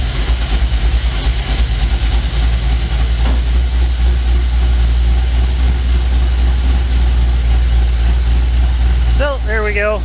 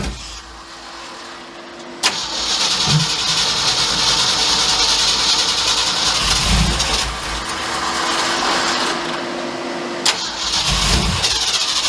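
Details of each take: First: 1967 Mercury F-250 3/4-ton V8 drag truck idling with vacuum advance disconnected, timing about 9 degrees (1 degree over): deep, steady, even lope with no misses, knocks or ticks; runs good. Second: 1967 Mercury F-250 drag truck after the distributor was reset, plug wires moved one position: two cranking bursts that catch, surge unevenly and die back; hard starting and rough running from incorrect ignition timing being adjusted little by little.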